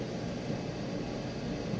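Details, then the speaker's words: Maytag Bravos electric steam dryer, fully stripped, greased and reassembled, running on medium heat, normal settings: steady, even low drum rumble with soft airflow hiss, no knocks, squeals or shakiness; normal running, heating confirmed afterwards. "There's no shakiness or anything like that. All the electronics work perfectly."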